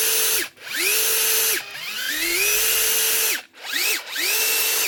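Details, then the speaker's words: Metabo SSD 18 LTX 200 BL 18V impact driver after gearbox repair, free run on a slightly flat battery: short trigger bursts, clean motor whine spinning up and winding down, no grinding or hammering; runs healthy. "So this one's just a bit flat. Yeah, you can hear the speed difference."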